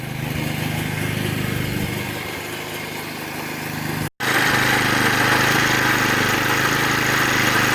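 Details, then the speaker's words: Vintage (likely 1970s) McLane 20-inch reel mower with a Briggs & Stratton engine, revived after sitting about 14–15 years, runs a steady even buzz with the reel engaged. It runs normally, but the reel needs tightening for shearing, with a bad bearing. "okay well success kind of this thing is actually made to cut really you know maintain a really short yard"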